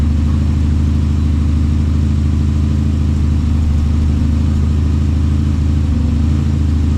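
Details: LS1 V8, basically standard, 750 Holley carburettor, on engine plates: strong steady burble with even lumpy beat and deep rumble, fires cleanly and idles smoothly; normal idle.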